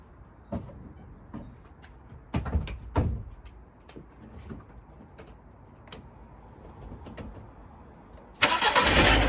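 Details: £200 Fiat 500 after replacing a failed fuel pump, which now audibly primes: a few clicks and clunks, then it cranks and catches promptly around eight seconds and settles into a steady run. Normal start after the repair.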